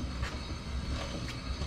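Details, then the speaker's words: Turbo 1.6 Miata jacked up with wheel turned by hand, driveshaft not spinning, gear oil leaked everywhere: faint metallic clinks about once a second, like loose metal knocking inside; differential clanking, diff blown for the second time. "I'll probably show you guys spinning the wheels over just so you guys can hear the diff kind of clanking around in there I can definitely know it's a diff cuz the drive shaft ain't spinning"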